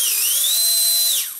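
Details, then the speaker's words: Micro ducted fan (EDF) run on a servo tester after balancing with tape: high, steady whine holds clean with no wobble or buzz, then winds down; vibration gone, the fan runs balanced and smooth. "um I'm there I can't hear the vibration anymore"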